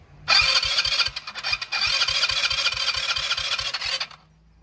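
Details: Go-kart small engine after carburettor cleaning for crank-no-start, started by jumping the starter solenoid, second attempt: quick starter chugs, then catches and holds a running note while fuel fills the line; runs pretty good.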